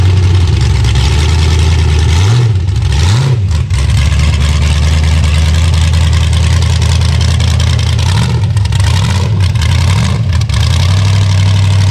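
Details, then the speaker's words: Chevy Vega with a 5.3 LS V8 swap, just started in cold weather; it still stumbles off the hit. Loud idle with a slightly uneven beat and a few short throttle blips, breaking up a little; the owner suspects the cam sensor, which is not confirmed. "still breaking up a little bit but i think it's like cam sensor"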